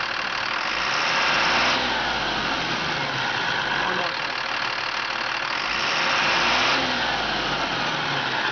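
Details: 2005 Freightliner M2 106 Business Class Expeditor diesel, hood open: idles, then rises twice in smooth revs and drops cleanly back with no knock or miss; no blow-by at the dipstick tube. Normal revving.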